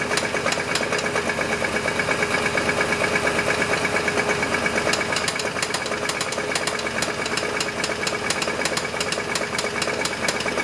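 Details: Chevy S10 engine at steady idle: sharp, regular metallic knocking about three per second; noise isolated to engine, owner suspects rod knock, unconfirmed; engine knock.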